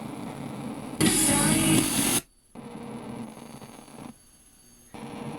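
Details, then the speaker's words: Morse 2500 AM/FM stereo receiver (~1977), FM checkout after stereo indicator repair: loud rushing static bursts then cuts to near silence; muting on weak station, noise seemingly always present, owner suspects small electrolytic capacitors. "it works but this I think this noise is there all the time"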